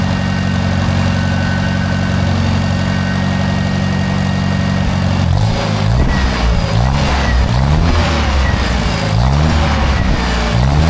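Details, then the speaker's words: Old Michigan loader rescued from scrap, not run for many years, not yet warm, leaking oil from a seal: started right up, with smooth, steady low idle then clean, even throttle blips; engine runs healthy. "But wow, that thing started right up. And Lord only knows how many years it's been since this thing has run."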